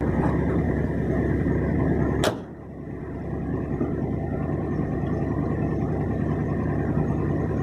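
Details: 1964 Ford F350, 60,000 original miles, parked for years. It got new belts, hoses, thermostat, battery, fuses, breaker points and a temporary aftermarket carburetor, still unadjusted. Steady, even running with a brief sharp snap and dip, then smooth; it runs really well.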